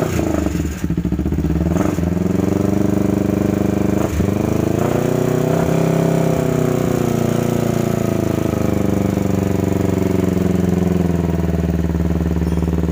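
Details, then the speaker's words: 2009 Kawasaki Ninja 250 twin revving and settling, running rough with quick light ticking from the top end; head opened for inspection, later found defective left crankshaft and crankshaft replaced. "jadi motornya tadi sempat hidupkan ternyata bunyinya lumayan kasar ngelitik di bagian recsel"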